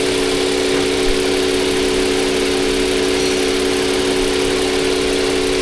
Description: Toyota avalon 2021 model engine misfire due to injector clogged cylinder number 6